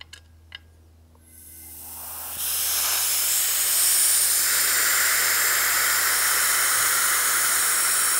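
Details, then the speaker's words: FX Maverick air rifle dual regulator, first regulator set about 175 bar from 250 bar bottle: sharp steady hiss bleeding pressure off so second regulator can be reduced to 150 bar; normal pressure release. "now we're going to bleed off the pressure so we could uh bleed the pressure here and so we could reduce the second regulator down to 150 bars"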